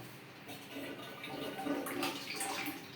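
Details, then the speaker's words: Pneumatic concealed cistern after diaphragm pump repair, small half-flush button: short light gush of water tailing off quickly instead of full flush, because the button wasn't pressed home properly; later works fully. "य इसने थोड़ा सा काम किया next time य full काम करेगा"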